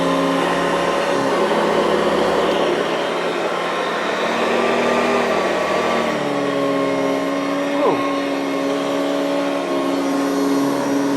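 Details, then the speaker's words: Hoover Decade 80 convertible upright vacuum after repair and reassembly: smooth, steady motor whine with even fan hum, no rattles; not the best but good enough, expected to improve with use; normal running. "that sounds good not the best but it's good enough uh that'll probably get better with a little bit of use"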